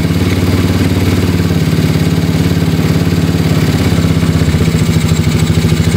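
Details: Mio Soulty scooter with 59 mm big-bore block, previously hard to start with carburetor overflowing, after head teardown and check: small single now starts and holds a steady idle with even low putter and light clatter.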